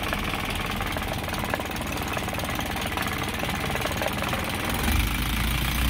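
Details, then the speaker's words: Isuzu 4HG1 diesel in Japan surplus truck, original never-overhauled engine with fresh oil change: diesel clatter steady at idle, then picks up smoothly on a light rev, no knocks or misses; healthy. "So, ito yung tunog ng 4HG1 mga kabusing. Yan. Ayan, maganda siya."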